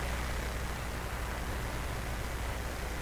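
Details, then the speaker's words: Collins R390A receiver during IF gain (R519) adjustment: steady, even hiss with low rumble underneath, unchanged when radio switched off; suspected recording-chain background noise, not the radio. "there's absolutely no change to the noise so this kind of a background noise that somehow i have to make sure the noise of the radio is above this noise"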